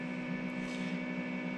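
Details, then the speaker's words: ALLPOWERS S2000 portable power station charging at about 323 W, around 71–72%, first charge: steady soft fan whir with faint hum, no rattles or pitch changes; normal, unobtrusive cooling fan. "And you can hear the fan running. It's not too bad. I don't find it obtrusive in any manner."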